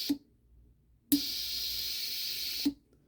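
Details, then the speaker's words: Sailboat propane solenoid wired straight to battery, no switch: sharp click opens valve, steady propane hiss about one and a half seconds, click closes; solenoid works, gas flows to stove line. "so there it goes so I know for a fact that this part of the system is working there's propane coming out of there which will feed the line that goes to the stove"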